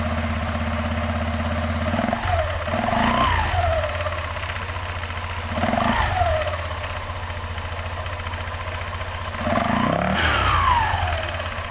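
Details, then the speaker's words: Honda Vario 125/150 scooter CVT after replacing the worn rear pulley needle bearing (20x29x18) and 6902 bearing, which had caused rough, noisy CVT sound: smooth, even idle with clean throttle blips and no rattle or grind. Normal running after repair. "Oke sudah aman ya teman-teman"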